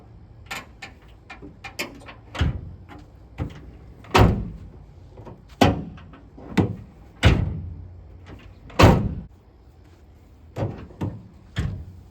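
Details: Dodge Ram/Ford F-Series tailgate after hinge pivot bushing replacement, lowered and raised: only dull thumps and clunks, no hinge squeak; pivots quiet.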